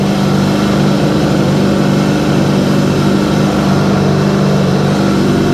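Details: Sea-Doo GTX DI two-stroke after swapping PTO injector, with a bad air injector, weak battery: strong steady buzzing drone holding an even pitch without stumbling; runs smoothly and healthily.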